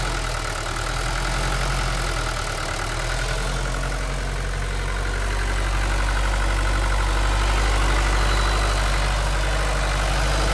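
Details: Old Mercedes 123 diesel left five years in a backyard, glow plugs suspected bad, just started: steady clatter at an even idle, about four beats a second, rising slightly as it settles. Normal diesel idle.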